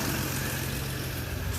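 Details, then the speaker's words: 1954 Nash flathead idling after a stuck-head gasket job, run on a 6-volt booster: low, even, smooth idle with a soft rumble and no knocks or misses; valves seem to have self-cleaned, owner expects about 120 compression. Normal idle. "That is really nice. Oh yeah. Listen to that baby purr."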